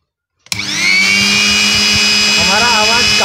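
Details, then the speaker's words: Mixer grinder motor after the bush was replaced and the bolts tightened: spins up fast to a smooth, steady high whine with no rattle or scraping; it now runs clean and healthy. "सुंदर हो गए दोस्तों काफी सुंदर आवाज़ निकल रहा है"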